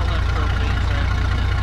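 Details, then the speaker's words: 1967 John Deere 4010 on propane, first start after sitting for years, after fixing a bad positive connection: deep, steady low thrum with an even pulse, idling smoothly with no knocking or missing; visibly smoking. "She's running good, guys. Nice and smooth sounding."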